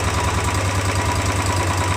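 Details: Royal Enfield 350 BS6 after fresh oil change: steady, even single-cylinder thump at idle with no tapping or ticking on top; normal idle.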